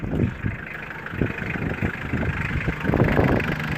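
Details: 2000 Mitsubishi Pajero 2.5-litre diesel, crank-no-start, running on a temporary fuel feed: settles into a steady idle with a light, loose clatter, no stumbling or hunting; the fault is a suspected blocked tank or fuel pipe.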